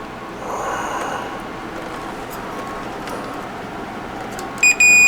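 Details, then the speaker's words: Sony TA-N77ES power amp missing speaker selector switch, meter in continuity mode probing speaker A/B terminals to cathode of D901 across the relay: faint hiss then sharp steady beep; good continuity. "now I'm going to take my meter in continuity mode and show you that we have good continuity going to both"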